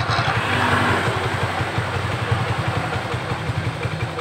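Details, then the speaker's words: Suzuki Nex automatic scooter, CVT: irregular rattly chatter over low drone, about three beats a second, changing when rear wheel spins versus held, noise damped counter-rotating; problem located in worn CVT bearing, to be replaced. "enggak tetap letak permasalahannya apa letak permasalahannya yang ada di bearing ini"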